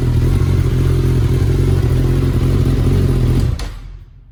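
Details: 2019 Suzuki Katana 1000 indoors with an M4 muffler, baffle removed: a deep, loud, even exhaust beat holds steady through the revs, then a clean shutdown. Nothing wrong, just a free-flowing muffler echoing in the room.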